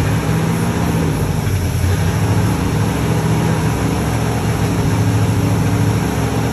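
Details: 1961 Dodge Power Wagon Poly 318 V8 after repairs to run on all 8 cylinders: deep, steady rumble holding an even idle with no knocks or misses; truck runs and drives; normal running.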